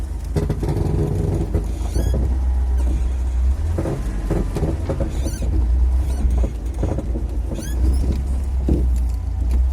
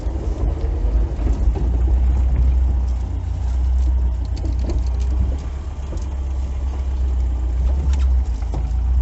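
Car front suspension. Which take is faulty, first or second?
first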